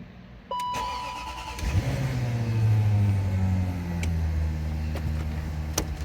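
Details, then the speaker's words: 2002 Range Rover L322 after fixing transfer box neutral/no drive (fuse in wrong place; transfer box fine): cranks, catches, settles, then pulls away smoothly with an even note rising with road speed. Normal start and drive. "it as you can tell it drives I'll explain further when I get back home"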